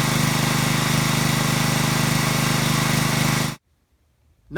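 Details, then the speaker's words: Small-engine pressure washer after cleaning the carburetor's internal pilot jet to cure surging: even, rapid single-cylinder beat with no rise and fall in rpm; runs absolutely smooth, no surging or hunting. "absolutely smooth no surging no hunting no waffling no RPMs going up and down it runs nice and smooth"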